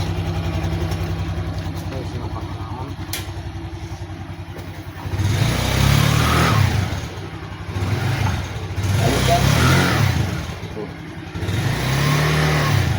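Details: Honda CVT scooter after CVT bearing replacement: idles then revs in smooth swells on light throttle with none of the earlier crackling rattle; drive sounds clean now.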